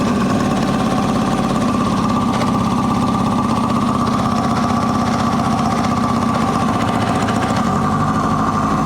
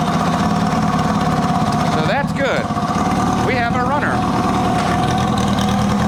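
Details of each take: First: 1980 Kawasaki KZ750 first running, on leftover gas with the fuel not left on, a faulty float, possibly loose intake boots and a vacuum fitting popping off: ragged, uneven idle coughing back through the intake. It runs lean from fuel starvation and likely air leaks. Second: 1980 Kawasaki KZ750 motorcycle started with clutch in, choke on and fuel tap off, then idling on its own with choke off: a steady, even idle with a smooth low hum and no stumbles or knocks. One carb float still needs attention.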